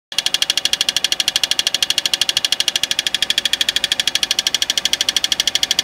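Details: 2005 Peugeot 206cc running petrol engine: fast, even, sharp metallic ticking, several ticks a second; tightening the torque converter bolts did not change it, cause unknown.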